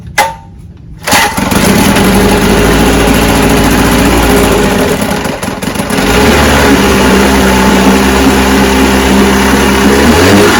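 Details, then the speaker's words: Johnson QD-23 10 HP two-stroke outboard after carburetor rebuild, choked, mixture screws preset (high 3/4, low 1 1/2 out): fires after brief crank, runs steady and buzzy, speed stepping up smoothly while adjusted; running normally. "oh man I'm telling you it's adjusted good watch it start so that's the car is rebuilt runs good"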